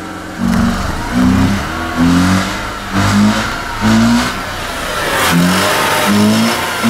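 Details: Mazda RX-8 misfiring, revved in repeated blips about once a second with an uneven, stumbling note; it smells rich, and a clogged catalytic converter or stuck injector is suspected, unconfirmed.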